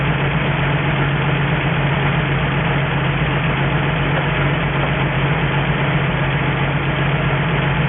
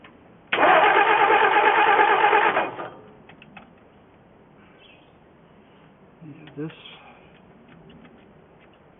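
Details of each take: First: 1963 Ford F350 truck, first start in about 20 years, running off an auxiliary nurse tank with a cherry bomb muffler: steady, even low idle with a smooth unchanging beat, no knocks or misses; normal healthy idle, coolant needs topping up. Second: 1963 Ford F350 engine, first start attempt in 20 years, running from auxiliary nurse tank: starter spins engine evenly about two seconds without firing; cause was an air bubble in fuel line and jammed carburetor top vent piece.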